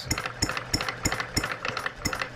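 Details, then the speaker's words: Brand-new Stirling Kit hot bulb horizontal mill engine idling after about 15 minutes of running and warming up. Sharp, regular knocks about three per second with a metallic click come from the water pump check balls, not the engine. Normal idle. "starting to get warm listen to that idle it sounds like it's knocking but it's our check balls down here in our water pump"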